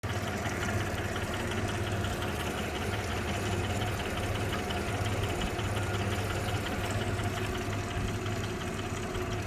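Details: 2015 Suzuki DF250 outboard with 1600 hours, idling with a steady low drone and a faint, loosely regular knock about once a second; the cause is unknown.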